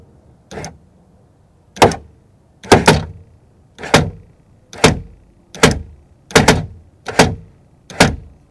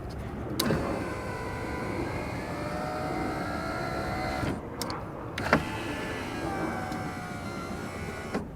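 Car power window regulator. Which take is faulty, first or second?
first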